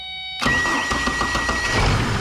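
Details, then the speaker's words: 2005 Chevrolet Colorado with no-start complaint, new battery, starter tested by power-probing the starter relay circuit: short burst of even cranking, engine catches and runs steadily; starter fine, fault traced toward PCM ground. "starter's fine okay it started up and and it will run all right"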